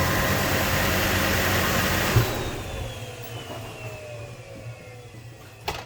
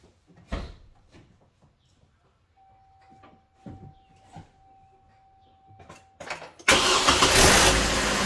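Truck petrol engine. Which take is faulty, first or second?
first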